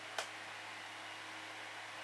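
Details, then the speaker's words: Old Sanyo EF-C9 9-inch oscillating desk fan on high speed, oiled shaded-pole induction motor, shallow-pitched blades, turned sideways: quiet steady airy whoosh over faint even hum with one small tick; smooth, healthy. "A very powerful fan, actually. Uh, it the blades aren't pitched that steeply, so it must work off of speed rather than pitch."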